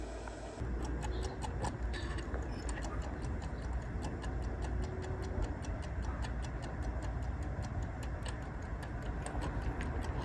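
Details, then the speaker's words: 1971–1972 Mopar dash clock on the bench: steady ticking about every third of a second over a low fan hum, running only with finger pressure; corrosion or dried grease suspected of keeping it from spinning freely. "Listen to this. It's almost going on its own. When the fan shuts off of the power supply, you can hear the clicking."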